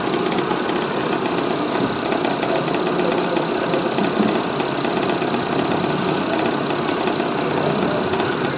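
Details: Hyundai Santro at idle: steady idle with light, fairly quick tak-tak tapping, traced by removing the power steering and other belts to a loose pulley bolt letting the pulley play and knock.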